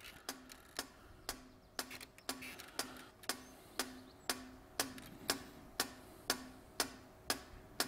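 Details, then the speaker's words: 2006 Vauxhall Vivaro (same as Opel/Nissan/Renault) EGR valve cycled by a Sykes-Pickavant EGR valve activator for 90 seconds to knock off carbon: crisp, evenly spaced clicks about twice a second, valve opening and closing cleanly; green light, normal. "EGR valve so I press and hold for three seconds now you can you can hear that so it's going to open and close it open and close it"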